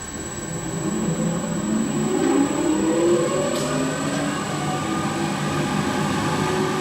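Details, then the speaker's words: New Real Power 150 kW (180 kVA) belt-drive generator on bench test at startup; steady hum with faint even whir, no knocks, rattles or squeals, voltage good and frequency at 60 Hz, normal running. "okay now that we're running you can hear there's no unusual noises"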